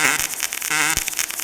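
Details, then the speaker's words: Kemppi X5 pulse MIG welding 6 mm plates overhead (PD position) at about 100–105 A with C18 gas, torch at about 45°: steady, crisp hiss and crackle with a fine even buzz and no pops. Clean, normal pulsed arc. "Pogledajte kako to Kempi radi lagano, bez ikakvih problema. A za zavarivača"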